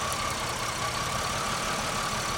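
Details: 2001 Pontiac Grand Am with misfire history on cylinders 1 and 3 (P0300), plug wires relocated: steady even idle with faint constant whine and no stumble; scan tool shows zero misfires, cylinder 1 firing. Normal idle.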